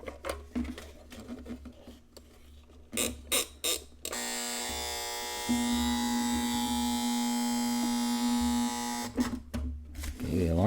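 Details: Sears Tradition Model 4 7138 flip clock, new in box, clock motor not starting but humming: steady raspy buzz for about five seconds amid handling noise; alarm buzzer works normally.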